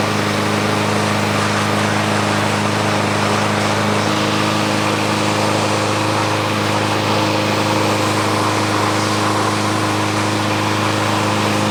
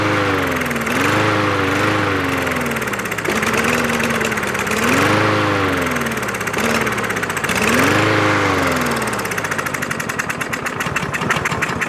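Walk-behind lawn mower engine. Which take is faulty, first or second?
second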